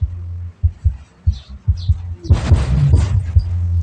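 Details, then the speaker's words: Car power amplifier after cleaning and reassembly: deep bass plays cleanly with no hum or hiss. The customer had reported interference noise and cutting out at high volume, caused by heavy dirt inside the unit. "สัญญาณรบกวนไม่มีเลยนะครับนะมันเป็นที่มันไม่สะอาดนะครับนี่ผมล้างแล้วแล้วก็ประกอบแล้วนะครับ"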